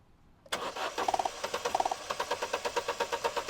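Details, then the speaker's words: 2010 Vauxhall Meriva B 1.4 XER intermittent no-start with the bad coil pack refitted: starter turns over evenly, about three beats a second, nothing fires. Trigger present but no current draw, so the coil is faulty while the ECU and crank sensor are good. "So whenever you get a faulty coil, you get the trigger, but you do not get any current draw."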